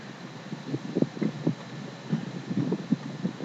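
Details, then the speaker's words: 1995 Ford F150 EGR valve after cleaning, tested by applying vacuum by mouth: faint light ticks about every quarter second under breathy hiss as the valve opens and closes; valve moving freely again, whereas before nothing. "I I don't know if you can hear that but you can hear the valve opening and closing it'll it'll it'll go tick tick tick tick tick tick tick tick so I think that means we got it"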